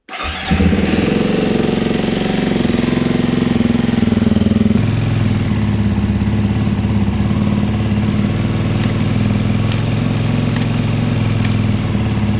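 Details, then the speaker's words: 2024 Beta 390 RR-S after replacing plastic oil-pump drive gears with metal gears and refilling oil (800 ml): engine catches straight away and settles into a steady, even idle with no knocks or rattles; normal. "Fire it up. Make sure that we're cooking with gas. Power, prime."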